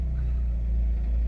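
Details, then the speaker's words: Van-life generator powering the air conditioner in hot weather: deep steady drone at even speed with no surging, misfires or rattles as the A/C load kicks in; quiet enough to talk over, healthy. "It's not that loud at all. It's very pleasant. I mean, you could talk right around it."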